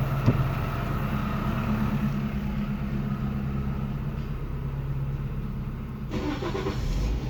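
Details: Japanese contract 2004 Toyota Vitz SCP10 1SZ-FE engine, automatic, 2WD, tested before dismantling: starts cleanly, holds a smooth steady idle and picks up revs without misfire, knock or rattle; runs evenly, no smoke, healthy.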